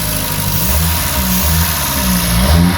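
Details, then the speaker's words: Reliant Regal Supervan 3 petrol engine refitted after electric conversion, first run, cold, on choke after fixing coil connections: ticking over on its own with fairly even beat, slight speed wander, no misfire; carburettor setting not quite right; normal running. "sounds really nice i like the way that he's all stands they're ticking over on his own i've got a choke gotta have a bit of choke at the moment so the carburetor setting is obviously not quite right"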